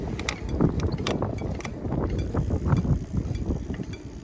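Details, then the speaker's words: Bird e-bike, 36 V with a 500 W Bafang motor and belt drive, 350 miles: irregular metallic clicks from the turning rear wheel caused by many spokes that had worked loose, later tightened. "And on inspecting the back wheel, I found a whole bunch of spokes that had worked themselves loose."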